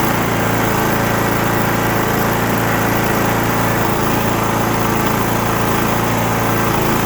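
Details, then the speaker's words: Cub Cadet LTX1045 riding mower, Kohler Courage 20HP twin, after draining water-contaminated bad fuel, cleaning and new fuel filter (earlier head gasket and valve work): steady, even drone, no surging or misses; runs great, normal running. "so the thing at this point runs great because we got that bad fuel out of there cleaned everything up did the fuel filter"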